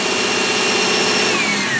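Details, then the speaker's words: 2001 Subaru Outback L.L. Bean idling with high beams, wipers and AC on: thin alternator whine drops in pitch as idle sags under heavy electrical load; alternator still charging. "high beams drops down because sucking electricity the alternator is working whining but it's working"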